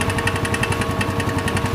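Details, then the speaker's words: Empire Outlook/Logik scooter that had run out of oil: rapid, sharp knocking about ten a second over the idle, first thought to be rod knock. It fades when revved and is traced to a broken valve spring in the head. "vamos a hacerle la reparación en esta moto y revisión vamos a solucionar el inconveniente del resorte vamos a verificar las holguras los sonidos del motor y bueno"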